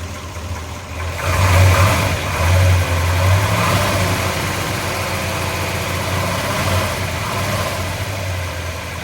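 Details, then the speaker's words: 1967 Chevrolet Biscayne, low-mileage big-block 454 (L72 tribute) with solid lifters, 4-speed Muncie and cast-iron manifolds, just fired up: deep lumpy idle with a couple of quick throttle blips that rise and settle cleanly; healthy. "Yeah, you can hear the solid lifters in that LS6 454. Nice. Fired right up. That's good."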